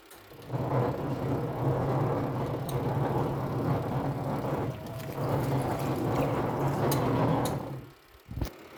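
A steady low rumble runs through the wash agitation and cuts out as it stops: the washer rumbles while washing, cause unknown.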